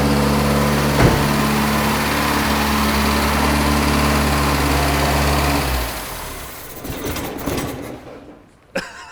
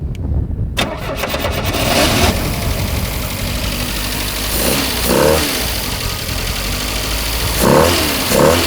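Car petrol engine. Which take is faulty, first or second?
first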